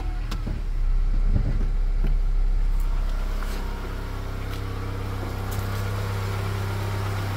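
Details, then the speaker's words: Honda CR-V 3, 2.4 engine, warm, idling with all drive belts removed: low even drone with sharp taps over it; knock remains without belt-driven accessories, so it is inside the engine itself. "стук остался стук остался Единственное что мотор тёплый я недавно приехал как бы он стучал ещё сильнее То есть это дело не в приводных агрегатах Это в самом двигателе где-то постукивает"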